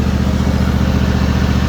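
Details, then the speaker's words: John Deere GT245 lawn tractor, 20 hp Kawasaki V-twin, 621 hours, after tapping fixed through routine maintenance: quick, even firing beat, clean low rumble, no ticking; running healthy. "621 hours. Sounding as good as ever."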